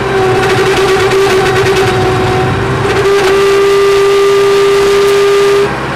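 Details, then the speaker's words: 1999 Bobcat 864 tracked skid steer: steady, loud mid-pitched whine over the engine from the failing right-side hydraulic drive motor, which barely moves while the left side works fine; replaced with a rebuilt motor. "the one drive motor just whines and barely won't even move so I brought it here to fix it"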